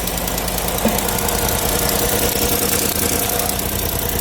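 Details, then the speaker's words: 2018 Chevy Silverado 5.3 V8 idling after the misfire was fixed: quick, light ticking about three per second from an exhaust manifold leak caused by a broken-off exhaust manifold bolt. "I hear a little exhaust leak over here."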